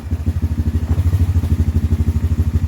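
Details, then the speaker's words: 2007 Honda Recon ATV single-cylinder after carb clean and tune, warmed up: fast, even thumping with steady firing, no misses or clatter; healthy normal idle. "but we've cleaned it we've tuned it a little bit and it seems to be running good"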